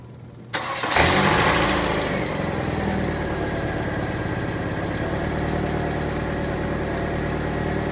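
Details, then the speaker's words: 1998 Saturn SC2 idling after replacing two passenger-side engine mounts and the driver-side dog-bone mount. Previously it rattled badly on the passenger side; now it starts and settles into a smooth, even idle with no rattle, a huge difference. "so no actually i think that made a huge difference yeah that made a huge difference"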